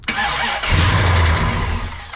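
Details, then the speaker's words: Brand-new Mopar big block V8 in a 1967 Dodge Coronet 500 convertible, with air conditioning and power steering, after a prior no-run traced to valves not closing fully: quick crank catches into a deep steady idle with a rough uneven edge; starts normally. "cool that's what it should have happened yesterday yep come on guy there it is"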